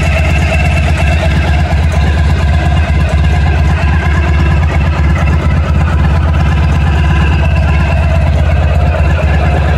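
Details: 1991 Honda ST1100 motorcycle at idle, noticed during an oil change; loud steady low idle with a constant tinny rattle from up front near the engine, inaudible with a helmet on, source not pinned down.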